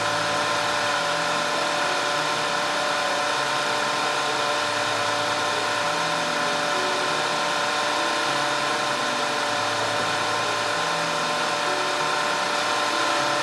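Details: 2010 Audi A5 2.0 TFSI Cabriolet after repair of random and constant cylinder 4 misfire (P0300, P0304, P130A): steady, even idle hum with a smooth, unchanging beat and no stumbles or skips; engine running cleanly.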